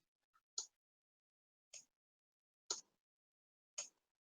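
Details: Arduino-driven relay switching a desk lamp on and off each second: sharp, crisp single clicks about a second apart in a quiet room as the relay switches normally and its green LED flashes.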